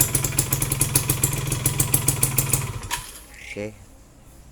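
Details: Yamaha F1ZR two-stroke after clutch-side work, complaint of rough clutch noise: a steady, even popping idle of about three or four beats a second with nothing rattling; the clutch side sounds okay.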